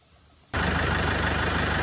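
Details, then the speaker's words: Great Wall Wingle 7 GW4D20D diesel after repair and reassembly, oil pre-pumped: catches and settles into a firm, steady diesel idle with no knock above the even clatter; runs smoothly. "general, that’s all, the engine runs smoothly without any problems."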